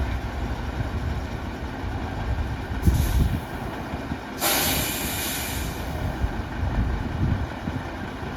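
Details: Tatra 815 V10 diesel just after engine repair: deep, steady idle rumble with two sharp air-brake hisses; the engine runs evenly and sounds healthy.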